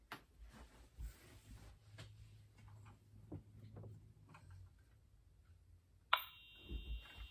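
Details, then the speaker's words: EH-24S fire alarm horn/strobe on a 24 V DC supply: a thin, steady high-pitched tone starts after a pause but is far too faint; strobe works. Owner suspects a capacitor that drives piezo sound amplification. Very quiet horn. "so that's very interesting actually so as you can hear it's trying to make noise well it is actually it's just very very quiet and the stroke does work so that's good"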